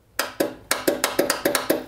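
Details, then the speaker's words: High-hours lawn tractor with a charged and tested good battery: turning the key gives sharp dry clicks, about ten in two seconds, from the starter solenoid under the hood, and the engine won't crank. "So definitely, the noise is coming from the solenoid."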